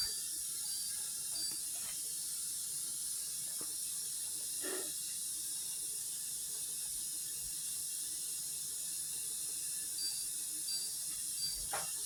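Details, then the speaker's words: Dishwasher after repair (screw reset) at cycle start: soft, steady hiss of water flowing in with a few faint clicks; normal fill. "So she's running. I'm going to let her start up, and then I'm going to cancel her out. She's still loading water. you can hear her."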